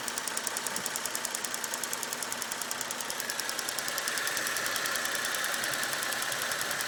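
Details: Holden VE SV6 at idle: crisp, regular tapping about two and a half times a second over a quiet idle; owner asks whether it is engine knock, cause unconfirmed.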